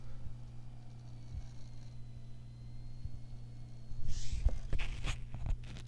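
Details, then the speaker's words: 2003 iBook G3 (800 MHz PowerPC 750FX) booting Mac OS, mic held near the hard drive: steady low electrical buzz with faint irregular clicking; owner suspects the failing hard drive, which later died. "oh man that hard drive sounds brutal I'll put my mic up there again sounds like it's electrocuting"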